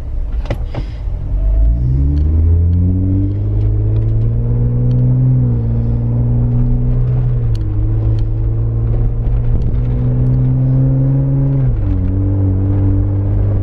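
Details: Jeep 4-door 3.6L V6 with Magnaflow 15117 Competition Series exhaust, heard from inside the cabin after a new tailgate was fitted: deep exhaust rumble rising and falling with throttle, no tailgate rattle.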